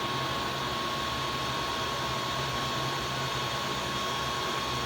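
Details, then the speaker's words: Bathroom exhaust fan, 70 CFM, over 12 years old, after opening the motor, cleaning the shaft and adding synthetic engine oil to the top bearing: constant airy whoosh, faint hum and thin high tone, no rattle; running normally. "is it like brand new of course not but I'm very happy with this"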